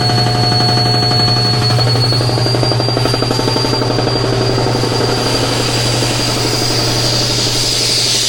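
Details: Shop air compressor after repair of its leaking pressure cut-off switch: fast, even chugging and steady motor hum as the tank builds pressure; runs normally.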